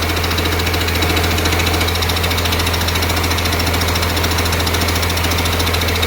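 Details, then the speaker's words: 1948 Ford F6 COE rat rod with 190 HP 5.9 Cummins 6BT (from 1994 Ford F700), P7100 pump, #10 fuel plate, first start-up: even diesel idle clatter under loud rhythmic thumping near 140 per minute from the air compressor. Not smoking much; engine fine. "Loud noise you hear is the air compressor. Great oil filter. Not smoking much."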